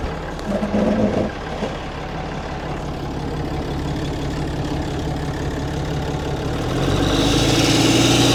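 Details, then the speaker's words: Cummins diesel work truck at idle, no check engine light: a sharp, even tick about four times a second. Exhaust manifold leak, with black soot visible. "That is a weird sound. I was not expecting that. What does it sound like to you? Are you thinking? It sounds like exhaust."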